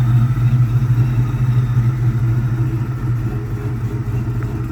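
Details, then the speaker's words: Engine misfiring at idle after a catastrophic failure, still misfiring as before; uneven loping idle with a low thump dropping out every few beats. A bad coil was already found, cylinder three suspected, with residual oil burning off on the exhaust. "we've got bad coil already found on this side here seems to be suspect of cylinder number three and a little residual burn off on the exhaust"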